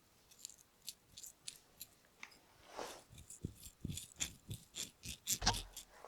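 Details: Bosch auxiliary fan motor from a 36-year-old Mercedes W123 300D, torn down: irregular dry crunching as the open 12x28x8 ball bearing is turned by hand, rough from built-up dirt. The bearing is being replaced.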